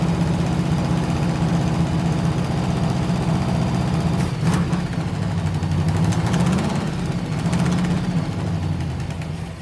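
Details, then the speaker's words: First run of a non-running 1971 Chevy Nova pro street small-block V8 (4-speed, Ford 9) after spark was restored and fuel was pouring in. Rough, lumpy, stumbling idle with a definite misfire. Firing order checked OK; timing suspected out. "all right so we know it runs uh here's what we got just based on that little bit of running it's definitely a misfire"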